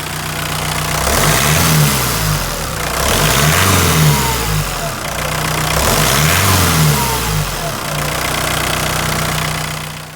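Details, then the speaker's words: Rover Maestro turbo diesel revved up and down: faint high whistle rising and falling above engine note; owner suspects an exhaust-side air leak that seals up as it warms; also smokes above 50 mph. "is the turbo whistles and does it mainly when the engine's cold, which would suggest to me that there's an air leak on the exhaust side, and then obviously as it expands maybe seals up a bit."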